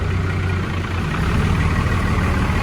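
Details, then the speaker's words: Old 12-valve diesel-swapped truck idling outdoors after a hard cold start in freezing Michigan winter: steady, deep diesel rumble with even clatter, no knocks or misses; normal healthy idle. "so it's hard to start these diesels in the winter especially an old 12-valve sounds good"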